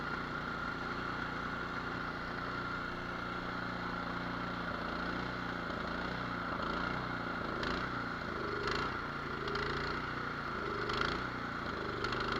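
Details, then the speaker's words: Cub Cadet 24-inch two-stage snow blower (824) with a 208cc single-cylinder engine, almost new and barely used, brought in for no-start. Started on choke, it runs steady, then the speed hunts up and down in slow waves. Surging idle from a clogged carburetor idle jet, to be cleaned or drilled out. "Look at that. We're going to be drilling out the idle jet on this one, or we'll just take it apart and clean it."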